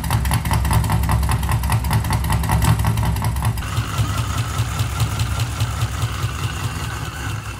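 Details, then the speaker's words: V8 on Fuel Tech FT550 standalone ECU, first start in Mazda RX-7 project: deep, slow, lumpy but even idle at about 500 rpm, all eight cylinders firing; low idle. "Yeah, it sounded like it was idling really low."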